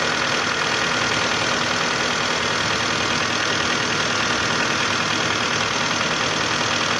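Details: 2011 Hyundai Santa Fe 2.4 4GKE engine at warm idle: steady, fairly regular light knock about three a second that appears when the engine is hot; source unconfirmed.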